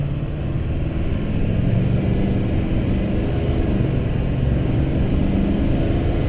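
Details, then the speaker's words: 2005 GMC Sierra 2500HD Duramax diesel at highway cruise on the first Interstate run after installing a Corsa front pipe, Jamo 4in stainless catback and FTE diesel resonator muffler; deep steady throaty note, little drone, no rattles or leaks; normal exhaust tone. "see it's giving it a nice aggressive tone I ended up uh using the Corsa front pipe the jamo 4in catback piping as well as the FTE diesel resonator muffler I'm not hearing really much Drone at all"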